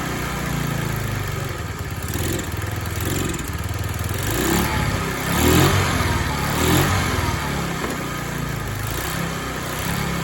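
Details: Free TaoTao 50 two-stroke scooter with throttle linkage and carburetor not yet dialed in: putters unevenly and surges as throttle is blipped, won't hold idle and stalls without throttle.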